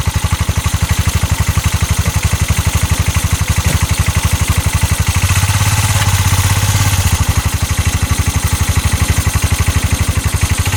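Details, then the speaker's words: 2022 Massimo T-Boss 750 EFI UTV, heard from the back driving forward: hard regular thumping about four per second swelling under load; CV axles and U-joint tight, cause unknown. "sounds really really rough release the parking brake put this thing into high see the high button pop up right there now listen to yeah I don't want to drive it too much like this"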